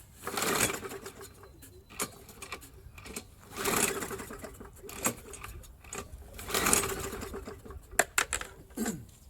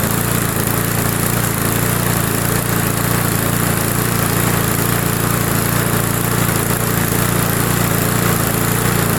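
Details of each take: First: Roadside Briggs & Stratton mower, spark plug removed, quarter cup of gas poured in the head: three quick whirring pulls with no firing or compression, engine spinning freely to clean it out. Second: Old roadside Briggs & Stratton mower, long unused, started after priming with cross-threaded plug; small single holds a smooth, steady idle at about three and a half pulses a second, no stumbling, running fine.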